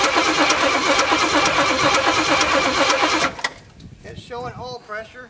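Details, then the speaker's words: Jeep M715 army truck, fuel injection removed and carburetor fitted, not started in six or seven years, cold start: starter cranks steadily about three beats a second for three seconds and never fires; cranking, no start. "so I'm going to crank it over and hope let the wall circulate a little bit and maybe hit it with some of this start them and maybe it'll run"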